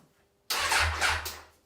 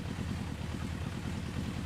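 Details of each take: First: 1994 Suzuki GSX-R 1100, stored for over 10 years, with the carbs still fitted. One short, roughly one-second burst of starter whirring; the engine spins over but never catches or fires. It cranks but won't start. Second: 1994 Suzuki GSX-R 1100 four-cylinder, stored for over 10 years, started in neutral. It catches and settles into a steady, even idle with a crisp exhaust pulse, running cleanly after long storage.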